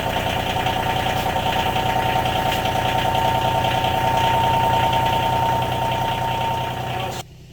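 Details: 2019 John Deere Gator XUV 865R diesel after synchronous drive belt replacement (old belt burned out at about 600 miles): engine settles into a steady even idle, smooth regular beat, no knocks or misses; runs fine.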